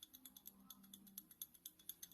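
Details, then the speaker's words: Honda N600/Z600 Keihin carburetor being shaken during teardown: a light, quick metallic rattle of about ten clicks a second from the accelerator pump check valve, likely a phenolic piece and ball with no spring; the valve is loose and free, not stuck. "anyway you can hear a little rattle so there's a i've never broken one of these to find out what's in it but it looks like a piece of phenolic and ball bearing probably"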